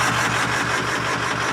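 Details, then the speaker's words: Ford 6.4 Powerstroke diesel truck at idle after turbo work that did not fix it: loud clatter with an uneven, lumpy beat about five pulses per second and white smoke; owner attributes it to cracked pistons chugging oil. "yeah no [ __ ] because the [ __ ] pistons are cracking it's chugging oil"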